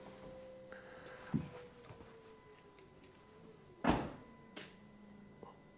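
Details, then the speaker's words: Three-year-old truck, new fuel filter being primed by cycling key four or five times: faint steady electric whine dropping in pitch between clunks as pump slows; lift pump priming normally. "we'll just do that and she's a pumping she's pumping a lot I can hear it back"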